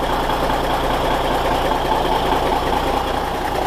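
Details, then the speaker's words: Cummins NHC250 diesel with a newly built pre-oiler, previously primed: instant oil pressure at cold start; steady diesel clatter, even firing, no knocks or misses; pre-oiler worked, normal cold idle. "instant oil pressure hot dang I am a happy boy so there you have it it worked it actually worked really really well"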